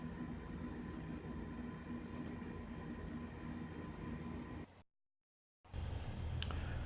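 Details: Forma 8351 12 cu ft −80°C ultra-low freezer, after monitor panel repair, about 4 hours into pulldown near −74°C: even, unwavering compressor drone with no knocks, rattles or stalls; running normally.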